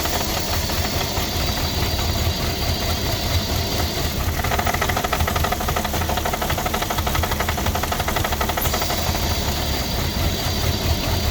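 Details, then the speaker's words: 2006 Porsche Cayenne 3.2 V6 petrol, cold just started: uneven idle with lumpy low thumping and irregular knocks; owner suspects misfire, vacuum leak or throttle body problem, not confirmed. "Engine starts. I don't know, got some misfire or something. Still no running properly. I think got some vacuum leak."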